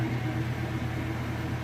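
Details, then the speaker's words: Maytag Centennial washer, final spin with a heavy jeans and towel load: steady low hum with a smooth, even drone, no knocks or scraping; normal spin cycle. "gonna get up to speed see it's moving nice and fast smooth"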